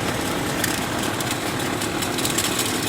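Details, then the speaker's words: 1998 Chevrolet Cheyenne K2500 (GMT400), flickering battery light, at idle under hood: constant dry whirring rasp, less at AC compressor and power steering pump; output voltage tests fine; likely failing alternator bearing, alternator replaced. "So, this does sound like something's going in the alternator."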